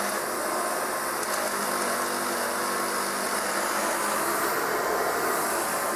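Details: Kirby 560 vacuum running after a new lexan fan replaced a long-broken one: high, even motor whir with a rough dry rasp from bad motor bearings; brushroll noisy too, otherwise runs well.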